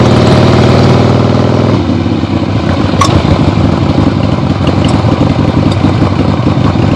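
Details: Freshly rebuilt 1975 Harley-Davidson XLH Ironhead Sportster V-twin on short test ride around the block; loud lumpy open-pipe beat settling into an even steady run, no knocking; a few carb farts, likely adjusted out once warm; normal running.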